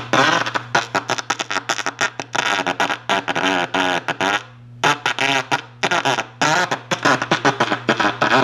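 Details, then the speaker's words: 1937 Gilfillan 731T-C radio, signal tracer on the 6F5: clean at the grid, very distorted at the plate feeding the 6F6, worst at full volume and intelligible at half; choppy, buzzy, broken-up program audio. "okay it's very distorted at full volume and about half volume I can make it out"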